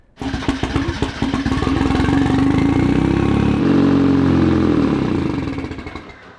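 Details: Miata drift car with supercharger, after tuning, clutch change and bleeding: catches, runs briefly with rough pulse, revs sag and dies within seconds when clutch pressed; cause unknown, bottom end suspected.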